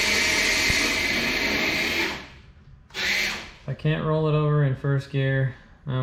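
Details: Traxxas TRX4 Blazer RC truck after repairs and cleanup, test run in first and second gear: short bursts of smooth motor whine rising and falling with throttle, no clicking or grinding; drivetrain runs cleanly.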